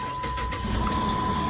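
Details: Jeep Grand Cherokee, previously no-crank no-start from faulty wireless control module, after key programming: chime sounds as engine catches quickly and settles into even run; clean normal start.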